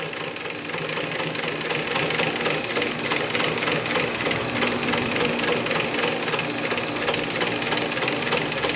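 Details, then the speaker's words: Vintage Singer 112W115 industrial double-needle, needle-feed, belt-driven lockstitch machine with a 90mm pulley and no servo motor, sewing slowly: steady needle ticking about three per second over a smooth motor hum, under full control; normal. "So you can see how slow I'm going, and you have a lot of control."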